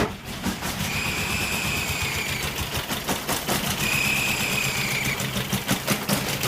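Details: Toyota 22R four-cylinder running, with a high, thin squeal rising in two stretches of about a second each. The owner suspects an EGR or vacuum leak and fears a bent valve; the source is unconfirmed. Finding: engine squeal.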